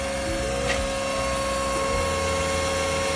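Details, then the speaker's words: Fuel lift pump: steady electric whine at one pitch over low hum; strong pump but noisier than a properly installed unit, possibly from restrictive suction-side filters. "mean, that's a strong motor, but it's making some noise, okay?"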